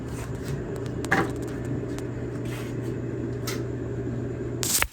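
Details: Samsung front-load gas dryer after idler pulley replacement: steady low hum of the drum turning with no squeal or scraping, just a couple of door bumps; dryer runs normally.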